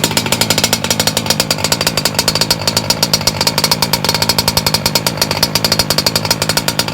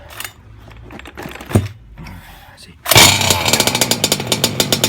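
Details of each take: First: MTXL with a BR motor recase on its second break-in heat run, low speed leaned slightly, in rainy, drizzly weather; a fast, even high-pitched buzz with no stumbling, running steadily and slightly rich. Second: Two-stroke MTXL engine on first start for a heat-cycle run, pull-started in January: fires after several pulls into a blubbery, uneven low-speed burble, then stalls; carburetor set fat; rich running.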